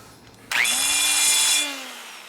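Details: Air grinder with burr working on a 1978 80ci Harley shovelhead head during motor rebuild: spools to high steady hiss-whine, cuts evenly without chatter, then winds down; normal burr cutting.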